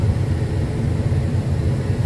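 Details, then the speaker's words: 1995 Chevy Suburban after fixing the unlit AC lights problem: strong steady blower airflow from all vents, no rattle or squeal; normal blower operation. AC compressor clutch still inactive, a separate problem. "But this is what I want to point out was these two lights not lighting up was my problem. Not saying it's yours, but now I got a fan and it blows out"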